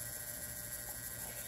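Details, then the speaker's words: Cheap modified sine wave inverter running from an 18650 power wall during grid charging: steady, bright-edged electrical buzz that holds under load. "these are modified sine waves pieces of junk as I said in many of my other videos"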